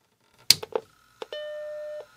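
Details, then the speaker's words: Classic Macintosh motherboard after recapping with tantalums, first power-on test with no hard drive or floppy connected: a couple of switch clicks, then one clean sustained startup chime under a second, a normal chime, followed by the flashing disk icon. "Well, that's a good sound."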